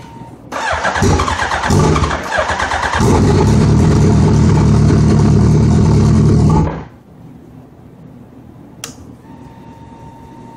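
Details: Suzuki Hayabusa hard starting: several seconds of fast, even cranking with no catch; fuel pressure drops while cranking, owner suspects fuel supply.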